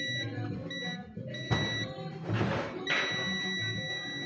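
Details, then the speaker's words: Mademsa washing machine control board, multimeter continuity test across triac pins one and two: steady continuity beep over music, showing the triac is shorted and damaged. "we put here we have a sound I don't know if it can be heard we have a sound there is continuity So that means that it is damaged the triac"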